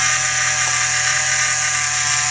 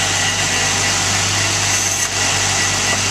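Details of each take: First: 2013 Jeep JK 3.6L Pentastar, engine running: steady loud high-pitched whine under the hood from a worn belt idler pulley bearing, not the alternator as a mechanic had claimed; pulley replaced. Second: 2013 Jeep JK 3.6L Pentastar after replacing a noisy idler pulley that made a turbo-like whine: even, steady idle with a smooth engine hum and no rising whine; belt drive and idler pulley running normally.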